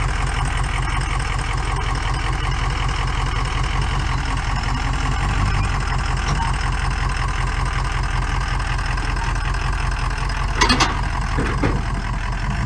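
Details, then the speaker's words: Powerstroke diesel pickup, a rust-free California truck, started for the first time at pickup: it barely runs after cranking, then a loud, lumpy, uneven idle and a little smoky. Obviously down a cylinder; cause unconfirmed. "does it run barely the squirrels cranking up oh yeah any guesses on what's the matter with [Laughter] this it's obviously down a cylinder"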